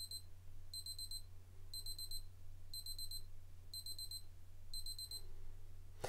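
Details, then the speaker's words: Casio F-201WA digital watch countdown timer with auto repeat reaching zero: six short bursts of rapid high-pitched beeping, roughly one per second, over low room hum; timer alarm sounding normally, then restarts countdown. "Right, so it's going to start counting down to what will be the end of the countdown time, and you'll hear a couple of beeps."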